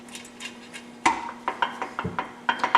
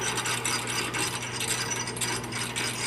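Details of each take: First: Midwest Super Cub aftermarket 4-speed tractor transmission during assembly: sharp metallic clinks and rattles as gears are rocked by hand with bolts finger-tight, backlash still present while shimming; aiming for zero backlash versus book 3–5 thousandths. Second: Midwest Super Cub aftermarket 4-speed tractor-pulling transmission being assembled, shaft turned by hand after tightening fork bolts: crisp, even gear-mesh clicking, no grinding or binding; gearbox sounds healthy.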